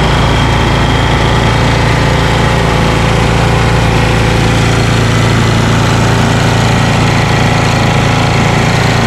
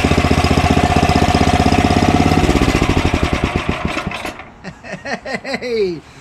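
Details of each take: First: Ariens ST1128 28" snowblower, 11HP Tecumseh Snow King engine, cold day, after carburetor cleaning and pilot jet fix for surging. Despite an apparently ~5HP carburetor, an even, steady low putter holds governed speed with no hunting: normal run. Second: Ariens snowblower Tecumseh Snow King engine, just started on electric start, before carburetor cleaning: quick even firing that slackens and drags, governed speed hunting, mild surging; carburetor otherwise clean, partly clogged pilot jet, still runs at idle.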